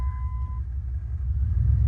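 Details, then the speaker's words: Red Dodge Dakota broken down off-road after driving through a puddle, no power above 25–30 mph: in Drive with throttle, low, lumpy, uneven rumble with no clean pull; rough running under load. "and give it gas and it just runs really rough and does not go anywhere"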